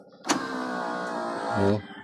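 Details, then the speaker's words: Same driver-side power window going down: even motor hum for just over a second, no grinding or straining, soft stop; lowering works normally, only the upward travel sticks. "Oh pagbaba walang problema."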